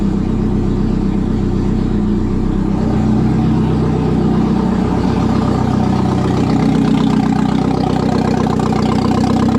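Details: 1997 Audi A4 B5, first start after engine install, in service mode: loud, steady idle with the exhaust open, even beat with no misses, hunting or knocks; it had earlier disliked accelerating.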